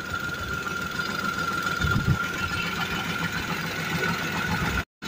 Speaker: ini benar mesin juga halus